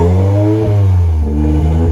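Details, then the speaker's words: 1987 Sierra Cosworth restarted after three years stored, after cylinder 4 kicked in: full, even rev with smooth deep note and no misfire stumble; running on all cylinders, some oil burning off the block. "So, she's now running as she's supposed to be."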